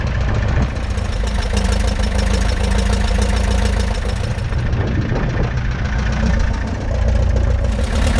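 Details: 1941 Piper J5 with a Continental C85 engine, first start after about 30 years dormant (last ran 1995), warming up on day two of attempts: deep, steady, low-pitched idle with an even firing beat and no knocks. It runs healthy.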